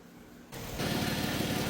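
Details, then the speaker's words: 2008 Dodge Avenger after the customer's head gasket and timing job, with the intake patched and the EGR blocked off with a gasket and unplugged: the engine catches and settles into a steady, even idle with no stumble or hunting, running smoothly. "Do have that gasket on the EGR blocking this off. And I had the EGR unplugged, but she seems to be running pretty smooth."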